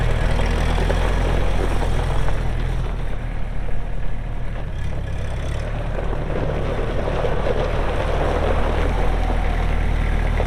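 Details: Kubota M6800 tractor (2004), pre-emissions diesel, 1,181 hours, 4WD with LA1002 loader and 8-speed mechanical shuttle: low, even rumble holding steady with a slight dip in the middle, no knocks or misses; healthy normal running.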